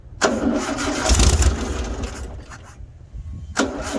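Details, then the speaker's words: 1974 VW Baja, new fuel filter and battery installed, a little gas poured into the carburetor bowl after sitting: starter cranks briefly, then the engine catches and settles into a lumpy, uneven idle; it cranks and starts. "I guess it runs. Well, I guess that answers that question. It starts now."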